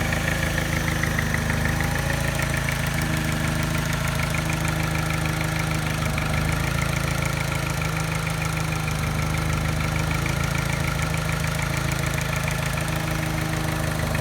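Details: Mini at idle with a soft tap about three times a second and a slight miss causing vibration; tap disappears above 1200 rpm; persists after timing chain, tensioner and piston ring replacement, timing rechecked; cause unclear.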